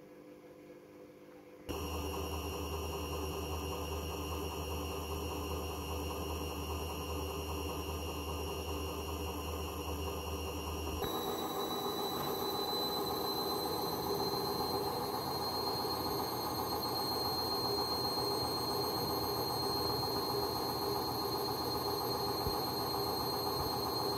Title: A client just send me this....crazy noise from worn out bearings